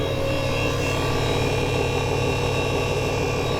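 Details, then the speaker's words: Ford Mustang S550 V6 with new turbo kit, first run on new tune, idling during 2-minute data log: constant loud high whine from electric turbo oil pump above engine note, unchanged with rpm; loud but working. "I'm sorry if you can barely hear me because their oil pump, as you hear, is extremely loud, but it's doing its job. It's keeping that turbo live, it's keeping that engine live."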